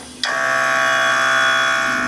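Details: Compressor on a 2017 Harley-Davidson M8 Touring with Xotic Customs Taildragger rear air suspension and Fast Up air tank: sudden start, then steady even electric hum at constant pitch as the air ride pumps up normally.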